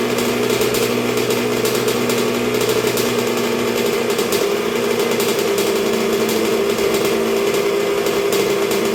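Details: 1986 Honda CR125R two-stroke, new .060-over Wiseco top end, break-in heat cycle while setting idle, getting pretty warm: high, buzzy idle holding steady pitch, no stumbling or dying; idles cleanly.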